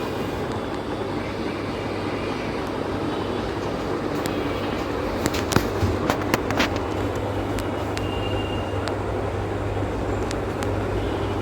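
A steady low hum runs evenly throughout with a few light clicks midway, a humming fan motor, cause not yet clear.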